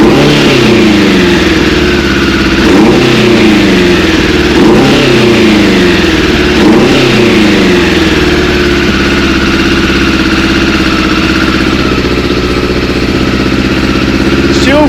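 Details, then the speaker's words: Suzuki Bandit 600 four-cylinder after carburetor rebuild with 98 jets, carbs not fully connected: revving up and down with ragged edge, occasional stumble; slight misfire, less than before, carb balancing suspected next. "sounds a bit misf fary but not as bad as what it did"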